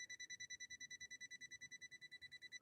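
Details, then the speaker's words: Swedish sewing machine on step-up converter, motor already tested good by bypass: tester beeps fast, about eight a second, foot controller live but not powering motor; faulty wiring, foot controller socket suspected. "we know now that the foot controller is good we're getting electricity to the foot controller"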